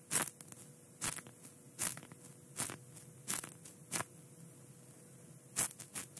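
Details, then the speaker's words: Poor-quality microphone cable twisted by hand with good soldering and no hum: sharp, irregular crackling bursts over a quiet line from the cable itself. "Tapi untuk kabel ini, kualitasnya benar-benar buruk, teman-teman. Karena ketika saya memutar kabel ini, ada suara bising"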